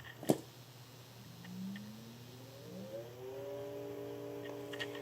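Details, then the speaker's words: Restored Emerson 45641 "Longnose" fan, started up. Low hum at switch-on, then a tone that climbs and settles; slight startup buzz that went away once running, normal and harmless. "you might have heard just a little bit of buzzing when it was starting up, but now that it's running, that went away."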